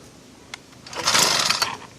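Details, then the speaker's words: Auction-bought small-engine cultivator, long unused, on a start attempt with a little fuel added directly: catches for about a second with a ragged popping sputter, backfiring, then dies. "It's trying. I hear it like it's backfiring."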